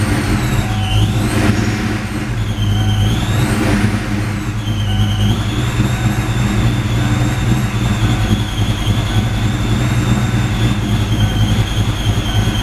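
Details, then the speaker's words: 4.6 2V Mustang, idle air control deleted, A/C deleted with bypass pulley on 8-rib swap: super cold start, heavy low V8 rumble with steady idle and faint belt whine dipping early; cold idle running without idle air control. "but the whole idle air control delete on a super cold start kind of sucks is a cold start with a no idle air control"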